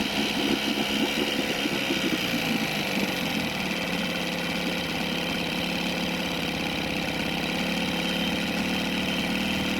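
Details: Small two-stroke outboard on a free boat, carburettor being tuned at about 2.5–3 turns out: brief rough start then steady even idle; runs without choke now, but fuel pump still suspected bad.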